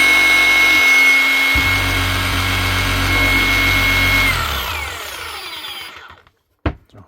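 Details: New Hikoki DH40MEY2 brushless rotary hammer in hammer-only mode, locked on with the rear button after pulling the trigger: steady high whine with fast, even hammering held without pause, then a smooth wind-down. Healthy.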